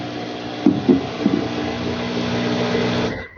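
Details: Samsung washer-dryer after its clogged inlet valve was swapped for a temporary Electrolux test valve: steady rush of water filling with an even hum and a few light clunks, then a clean stop; normal fill.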